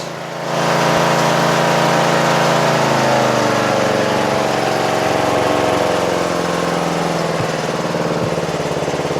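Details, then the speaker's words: Toro Wheel Horse 825 Recycler riding mower (56132), Briggs 8 hp, after new battery and carburetor replacement and throttle linkage fix, started on choke: small single fires up and runs with a steady, even putter, no misses or surging; runs normally. "Alright, you guys ready? Let's see if it starts. Ooh, ooh, ooh, ooh. Sounds great!"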